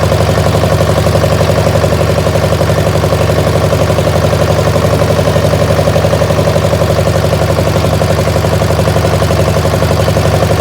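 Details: Massey baler twin-cylinder diesel engine: steady, uneven thudding at about two beats per second, lumpy and lopsided. It is firing on one cylinder only, the one fed by the original injector pump.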